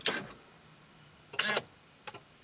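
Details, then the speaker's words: C5 Corvette electronic steering column lock, Tech2 test: key pulled with ignition off, short whirring buzz then a second run and small click as the actuator drives home; Tech2 shows ignition off locked, wheel locked, normal operation. "and you heard the actuator work and now it says ignition off locked and the wheel is now locked"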